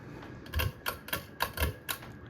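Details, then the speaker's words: Litex Gaskin 24-inch ceiling fan on high: sharp ticks and clicks about three times a second over a faint hum and blade whoosh; new-fan bearing noise that later quieted with use. "Now, of course, some of the noise you're hearing is the blades waring around, but half of that noise is the bearings. Of course, I do have a small audible hum, which is to be expected. But like I said, the bearing noise is definitely annoying."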